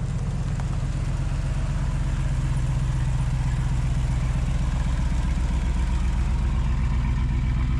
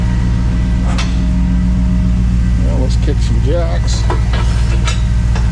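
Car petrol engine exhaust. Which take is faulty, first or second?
first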